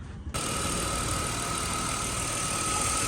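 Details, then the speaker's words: BMW X5 after an oil leak repair: the hard, cracking O-ring/gasket was replaced, the area cleaned and the injector rail refitted. Restarted, it settles into a steady, even, smooth idle with a faint whine and no knocks; a note says the gearbox is not seating properly. "Idling smooth guys. Smooth, smooth. Smooth."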